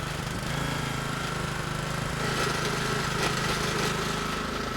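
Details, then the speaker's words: Small Honda petrol generator after a bad-idle fix (unscrewing the fuel cap): steady, even engine clatter with a constant tone and no hunting. This is normal running. "and the job's fixed so if you didn't get that basically all you need to do is unscrew the fuel C simple as that"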